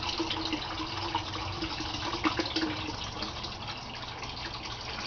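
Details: Aquaponics gravel grow bed, bell siphon with 1-inch PVC drain, early trickle stage: light, uneven trickling and dripping with no gurgle or gush yet. The siphon has not formed, which is normal before about 30 seconds.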